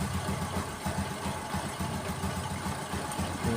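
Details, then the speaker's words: Honda Supra X 125 single-cylinder, piston ticking badly a month after rebuild, after piston pressing fix: steady even idle, soft regular pulses, no ticking; normal idle. "benar-benar halus ni suara setelah kita lakukan metode pengesan"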